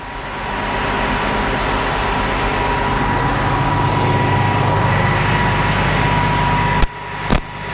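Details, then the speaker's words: Combine diesel just restarted after about 3 months' repair (cam roller and valve adjustment issue); steady deep unbroken idle rumble without knocking or clatter, smoking a little, healthy. "it's alive just smoking a littleit bit see like I've been waiting dang near 3 months to hear that sound again"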